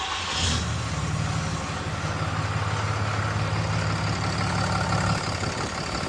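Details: 6.7 Cummins diesel just after installing a BD grid heater fix kit and bleeding air from the fuel system, first start to check for leaks: steady, even idle clatter with a constant low drone, no misses or odd knocks; looks good.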